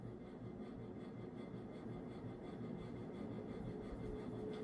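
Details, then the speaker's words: White and brass 52-inch Casablanca Artisan ceiling fan at high speed: steady rushing hum with a thin constant whine, some bearing noise, uncertain; possible warped flywheel or bent blade, blades not perfectly balanced, but powerful airflow. "This fan does have some bearing noise, which you can kind of hear a little bit."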